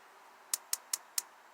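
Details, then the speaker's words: Restored propane gas grill, electronic igniter button with good battery: five sharp crisp spark clicks roughly every quarter second, igniter working normally. "you hear that clicking noise that's the igniter nightly"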